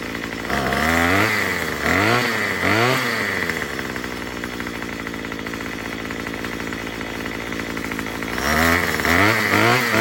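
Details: Murray M2500 two-stroke string trimmer after a carburetor kit replacement, with the high-speed screw turned counterclockwise: it buzzes at a steady high idle with quick, clean revs climbing and dropping. Runs smoothly and healthy.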